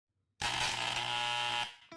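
A hair clipper blares with a loud, harsh rattling buzz as its armature slaps against the magnet.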